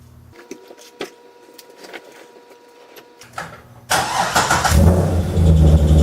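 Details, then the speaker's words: Naturally aspirated C6 Corvette V8 idling with both belts disconnected to rule out pulleys, harsh knock-and-squawk about twice a second, seemingly from mid-motor; rod bearing suspected, reportedly getting worse. "so there you have it that's the noise it's pretty nasty squawk sound it's kind of a knock and a squawk all at the same time"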